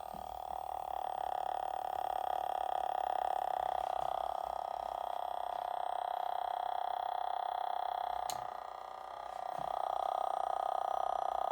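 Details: Dell B2375dfw printer that won't power on or wake from sleep: a constant mid-pitched tone from the PCB/electronics side, briefly fading once before returning; CR2023 battery replaced; exact source not yet pinned down.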